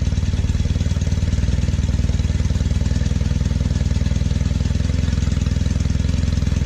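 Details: 1968 Norton Commando twin on a test run with 20W50 oil instead of monograde: uneven, lumpy thump about four beats a second, running rough and smoking heavily on the left side; owner plans head removal.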